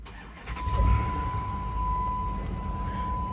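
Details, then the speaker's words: 2009 Chrysler Aspen with 5.7 Hemi V8: short crank, then it starts right up and settles into a steady low rumble with a faint chime. Healthy quick start, though a check engine light is on and the engine has a slight shake. "starts right up does have a check engine light so we will get that scanned"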